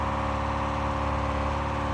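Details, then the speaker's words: 440 V8 in a drag-race Dodge Challenger with lopey cam, electric fuel pump switched on to build pressure: constant droning hum with coarse groaning buzz at unchanging pitch; loud groaning pump, fuel leaking. "and there we go and it leaks and that pump is loud loud and groany"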